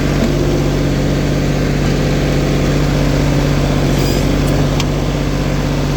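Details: LeeBoy 1000 paver diesel after fuel-system repair for starting then shutting down: steady fast drone at raised speed, about 2000 rpm, with an even low beat and no misses or knocks. Water temperature 80, oil pressure good, no codes. Normal running.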